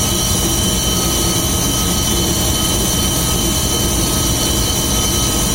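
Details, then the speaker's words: VAZ classic (2101-2107) raised on stand, engine running in gear, rear wheels spinning: loud constant droning hum with steady whine from worn axle shaft bearing on one side; owner first suspected differential, replaced it but noise stayed; bearing to be replaced. "Такой гул вот издается, надеюсь, слышно."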